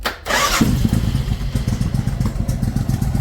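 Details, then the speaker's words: Suzuki Intruder 1400 V-twin, still fairly warm, after cleaning the rear carburetor that was not getting fuel: catches quickly on the starter, then a low, loping, steady idle without misses; much better, normal idle. "All right. So there it is. Pretty low idle. It's still kind of, yeah, still kind of warm."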